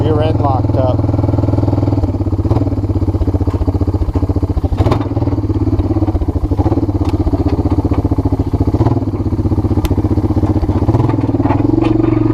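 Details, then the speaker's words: Water-damaged 1997 Honda Fourtrax 300 4x4 ATV, riding in first gear: steady low engine drone with fast rattling clatter over it; rear differential making very bad sounds and intermittently locking, while the engine itself sounds fine. "oh god it's making very very very bad sounds did you guys hear that"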